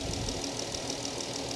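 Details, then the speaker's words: Dodge Challenger at Copart, 3.6 L VVT V6 idling, orange coolant; smooth steady idle with light even valvetrain tick, running fine, slight visible crankshaft wobble of unknown significance; normal idle. "3.6 L VVT but it's it's running fine coolant is orange that is good engine seems really steady"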